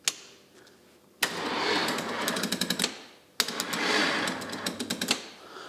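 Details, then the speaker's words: Van Diemen RF85 race car starter cranking slowly after a starter shaft rebuild: two short laborious bursts with rattly clicks and no catch, because the gel battery is low and dead and needs replacing. "right battery is a bit low"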